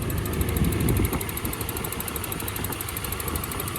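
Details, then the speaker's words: Nissan 240SX KA24E-T turbo engine at first start after installing Injector Dynamics ID1050X injectors, hood open: fast, light, even ticking over a rough idle from the large injectors, not a bottom-end knock; normal idle. "Listen to them injectors. I know it sounds like a knock. Don't really kill me too bad, it's not. It's just some big-ass injectors."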